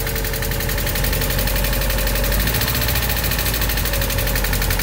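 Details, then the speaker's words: Mazda Miata just converted to manual, jump-started: idles with unusually loud busy clatter and fast even ticking over the rumble; owner unsure if release bearing or exhaust and questions whether there's oil in it. "Why is it so noisy? Is there oil in it?"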